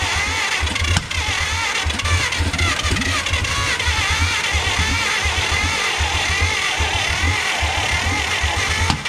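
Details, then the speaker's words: Abandoned 1950 Dodge Pilothouse truck with a flathead six, idle for years, plugs dried out and gas being fed: the starter churns in quick low pulses with ragged sputters, almost firing but never catching. It cranks but won't start. "she almost went almost just keep trying eventually this thing's gonna catch"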